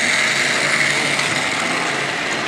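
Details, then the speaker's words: Two Hornby Triang Dock Shunter model locomotives pulling an eight-wagon train: an even, high-pitched motor whirr with steady rail rumble and no stutter or grinding under load. The motors run smoothly. "Yeah, you can hear them purring along anyway."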